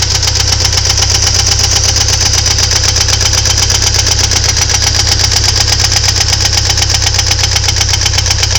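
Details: Ford Thunderbird Turbo Coupe 2.3L at idle: steady, even knock about four per second over a smooth idle; owner suspects valves, cause unknown.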